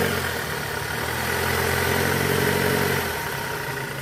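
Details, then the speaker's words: 2008 Toyota Camry 2.4 V, 2AZ-FE engine, in reverse; rough gravelly growl from the belt at idle, caused by weak accessory belt tensioner spring, before tensioner replacement. "Kita masukin dulu posisi R Nah itu dia guys Nah itu ngorok"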